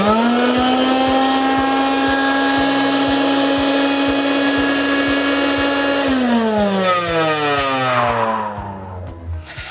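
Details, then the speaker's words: Rainbow E2 two-speed vacuum awaiting reconditioning: high motor whine with steady tick about three times a second continuing as it winds down; bad or failing motor. "Now that's a bad motor. If your Rainbow vacuum sounds like this, you probably have a bad motor or a motor that's beginning to go out."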